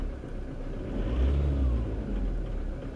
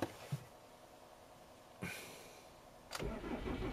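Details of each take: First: Car engine after fuel injector replacement and programming with a bi-directional scan tool, previously cutting out uphill on cruise: smooth, even note that climbs cleanly on a throttle blip and settles, no misfire or ticking; sounds normal. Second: 2003 Ford Mondeo Mk3 estate, 2.0 TDCi turbo diesel, 130 hp, injectors suspected failing: quiet gaps and short bursts while cranking with throttle before it catches into a rough run that barely stays running; hard starting, cause unconfirmed.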